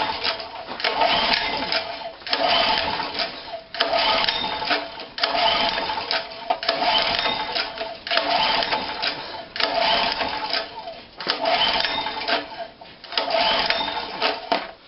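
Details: Spare generator engine brought back after standing, cranks but won't start: starter churns in short even bursts with no firing; owner suspects no or low compression, perhaps a stuck valve; cause unconfirmed.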